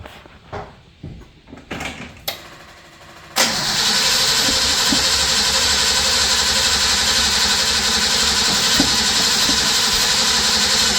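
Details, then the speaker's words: 1983 Nissan Patrol, barn find stored for years: steady cranking near four turns a second with no firing, even after the points check showed strong spark. Cranks without starting because the distributor rotor button was missing. "It didn't sound like it was going to. No, it didn't even sound like it wants to go. Not even trying."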